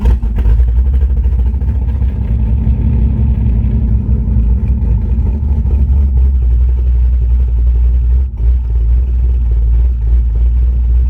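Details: V8 after Summit Racing Max EFI-500 install with fuel pump and O2 sensor: deep, steady rumble holding an even note with no misses, knocks or stumbles; normal running.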